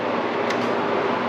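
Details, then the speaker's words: Window air conditioner with newly replaced power cord (20 A GFCI plug), on low cool: compressor kicks on, briefly dims lights, and runs with a steady low hum and even fan rush, no clatter or squeal; normal. "And the compressor did kick on. You see it actually dim my lights just a little bit. And yes, it is. I can hear the pump running."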